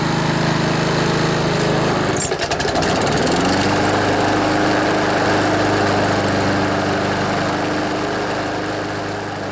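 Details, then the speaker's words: Older Honda HRB215 Harmony lawnmower, carburetor just cleaned, air filter off, choke off, warmed up: idles steadily, then revs only slightly higher and holds, never reaching full rpm; fix is tightening the governor spring. "So if you noticed, even when I revved it up, it didn't rev up all the way. So I can show you how we can fix that real quick here. But to get it to rev up more, you want to find the governor spring, which is actually that spring there, and you need to make it a little bit tighter."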